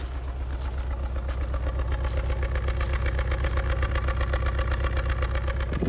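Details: Mazda MX5 with an uneven, lumpy idle at about two to three pulses a second, a clear misfire; a head gasket issue is suspected.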